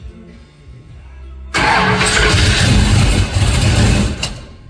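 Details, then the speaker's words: Henry J engine with an out-of-the-box, untuned Sniper EFI and replacement GM HEI module: fires and runs a few seconds with a wavering, lumpy idle, then sags and dies; it needs much more bypass idle air. "It needs a lot of air. Uh-huh. It wants a lot of bypass air."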